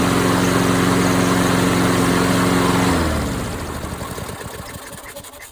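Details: MTD Lawnflite lawn mower repowered with a swapped-in Tecumseh engine: runs smooth and even for a few seconds, then shuts off and coasts down quietly; normal running. Owner suspects an oil leak.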